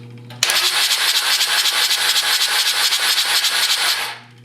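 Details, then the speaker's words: John Deere 755 diesel cranking during a compression test: even turnover about four beats a second, never fires. Fuel reached injectors one and three but not two, possible injection pump problem; cause unconfirmed. "fuel was coming out of the line going to injector one nothing to two and fuel to number three this could mean there's a problem in the injection pump"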